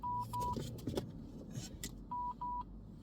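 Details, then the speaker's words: Dashcam beeps in short high-pitched pairs with pauses over quiet cabin noise, warning that no SD card is inserted; the car itself has no problem. "ang ako ding dashcam wala ang kuwan card maong saba kayo SD card tu sa balayong tutot"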